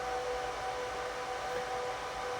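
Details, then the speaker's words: HP ProLiant DL360p Gen8 server just powered on, booting into the BIOS: loud, even rushing roar with a faint steady tone, no surging or rattle; fans at full speed at startup, normal. "So now we're going to turn on the server, which this will probably be very loud. I apologize."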